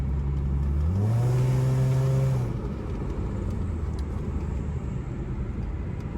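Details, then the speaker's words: 2011 Lexus IS 350 F Sport, first start after fitting an RR Racing Stage II supercharger kit: the engine blips up, then settles into a steady, even idle with no stumble or miss. It runs normally, though it is not yet hitting boost. "uh the car is on and you can hear it sounds pretty cool"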